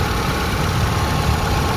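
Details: Kia Visto (Hyundai Atoz) after topping up power steering fluid that had run out and caused steering whine; steady even idle, smooth low hum, no pump whine or groan; steering rack seal leak suspected.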